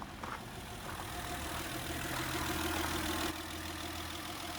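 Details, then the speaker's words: 2009–2015 Honda Pilot 3.5 V6 J35 at about 96,000 miles, recorded under the hood after new valve cover gaskets, VCM/VCP solenoid gasket, PCV valve and intake hose. Steady, even idle with a soft low hum and no ticking, misfire or hiss: healthy. "Sounds good. No more leaky valve cover gaskets."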